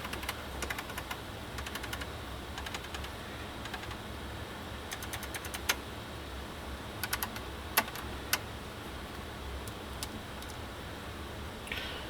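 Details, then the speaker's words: Kenwood KR-6050 receiver (about 60 W per channel) run at full power without dim bulb, one channel dead: sharp irregular clicks over a quiet hum as the protection relay kicks in and out, bulbs flickering; owner suspects something shorting inside. "something is shorting in there cuz I just heard a tick and then the bulbs I know we you're focused on the uh on the uh scope right now but what was happening is the protection relay clicked out these bulbs"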